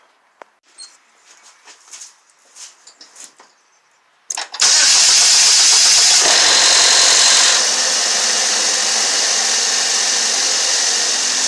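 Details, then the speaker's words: Neglected Chevy Malibu with code P0335 and no oil on the dipstick: harsh, fast, even rattle on cold start that returns when revs are held up and subsides off throttle. Cause unconfirmed; oil-dependent timing chain components discussed. "it rattled when I first started up what I'm gonna do is give it a little gas hold about 250 on our rpm you'll hear rattle again and when I let off the gas it'll fresh no filipino subside so there's a rattle noise that he'll subside"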